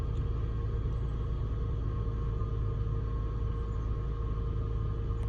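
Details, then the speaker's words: 2007 Toyota FJ Cruiser, recorded from cab after cross-country road trip: faint steady high-pitched whir above low engine rumble at start-up, noticed recently, higher pitch than engine; whirring noise, cause unidentified. "so it's kind of like a high-pitched um whirring sound so i'm gonna start the car and maybe you can hear it and just help me diagnose what it is it's that that's higher pitch than the engine"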